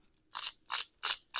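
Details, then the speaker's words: Classic Mini gearbox rebuild, half of the differential assembled with new roll pin, gears turned by hand: four short light clockwork-like ticking bursts, turning freely with no binding; normal differential. "clockworky noise of a differential. But you just need to make sure that it does turn nice and easy. Shouldn't be any binding or anything like that."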